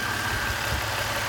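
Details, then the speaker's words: 1997 Toyota 4Runner Limited, 253K miles, after fixing an intake manifold gasket air leak: steady, even idle with a smooth hum, no chugging or stalling; the leak had caused rough idle and P0300 codes. "here's my 4runner running now sounds like it's about some 50 in an RPM before it would just chug chug chug and dye"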